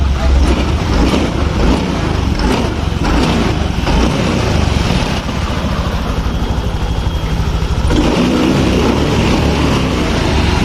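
Steady scooter engine running evenly with a smooth, consistent note and no knocks or rattles; it sounds healthy.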